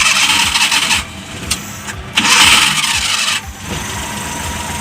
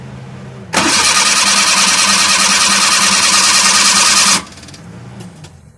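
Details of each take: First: Suzuki Multicab F6A carbureted engine that had a hard-start problem suspected from fuel contamination: short cranking bursts, then it catches and settles into a fairly even idle; starts readily. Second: Suzuki Multicab F6A small carbureted engine, hard starting from contaminated fuel in the tank: loud, steady cranking for about four seconds that never catches; the fuel system could need tank, filter, pump and carburetor work.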